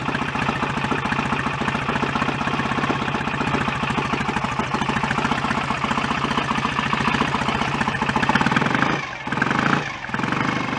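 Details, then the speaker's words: BSA A65 twin after rebuild, ignition advanced but still too retarded to strobe; steady, even but soft, flat idle with no misses. Retarded ignition timing. "all right still very there so I'm gonna have to advance it up some before I even get into the Zone where it's worth trying to strobe it"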